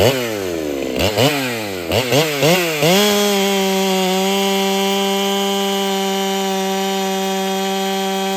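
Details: Ported Holtzfforma 395 chainsaw, first test session after build changes: blips, then a steady high howl that sounds flat. Owner feels it runs a little worse with no gain in cutting speed and suspects unseated rings. Low power under load.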